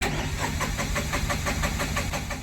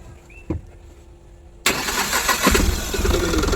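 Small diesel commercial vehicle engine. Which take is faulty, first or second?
first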